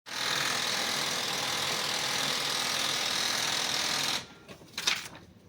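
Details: Ricoh IM C2000 copier running before repair: harsh, hissy, rapid rattling grind from a seized waste toner drive gear.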